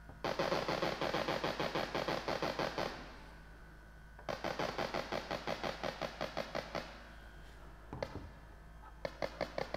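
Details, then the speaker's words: Parking sensor heard through electronic stethoscope lightly touching the sensor tip: crisp rapid ticking in steady bursts, about three clicks a second; sensor working, a silent one would be bad. "you just put it right on the sensor and you'll hear it beeping"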